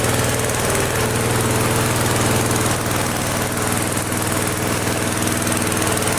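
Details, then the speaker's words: Flea-market lawn mower with Briggs & Stratton 5 HP engine, primed three times, half throttle: steady even small-engine drone, no misses or knocks; runs healthy. "Wow, it runs great. Listen. Wow. So do I really need to release the dead man switch? Wow. That is the nicest running engine on the crappiest, ugliest frame I have had through my hands here."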